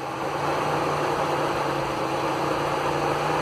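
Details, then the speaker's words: 2000s Mitsubishi, engine off, ignition on: loud steady fan rush, both cooling fans running at varying speeds and slowing down; failing cooling fan controller, about to be replaced. "i'll go ahead and turn the ignition on to show you both fans here speeding up we're just running at different speeds and everything and slowing down"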